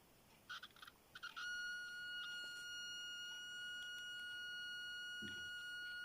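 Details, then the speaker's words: Continuity tester on an eBay DuPont jumper cable straight from the bag: high tone stutters in short broken chirps with changing pitch, then holds; intermittent continuity from pitted, slightly tarnished connector pins. "You could probably hear the pitch changing because these cables, as they come out of the bag, are very, very intermittent. Now I've had a look at this pin through a magnifying glass, and you can't see it here, but it's very, very pitted and a little bit tarnished."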